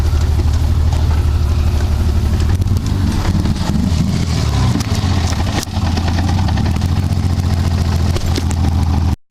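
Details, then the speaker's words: BMW E30 M20 engine after losing cylinders while drifting, later 0 psi compression in cylinders 3 and 4: loud, lumpy, uneven running with hammer-like internal knocking; engine knock and misfire, cause not confirmed. "it was like wow it sounds like someone's hitting a hammer on the inside of my engine and I don't think there's a normal thing"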